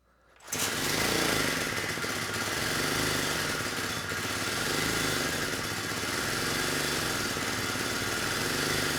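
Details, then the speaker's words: 1970 Honda E400 generator, not run in over a decade, uncleaned carburetor: engine buzzes hard with speed rising and sagging unevenly, output peaking about 5 V AC versus 120 V expected; dirty carburetor, generator head issue also possible. "unfortunately the engine speed it's unstable the carburetor is not running the engine very well and I'm hoping that's why we're not seeing much on the output side"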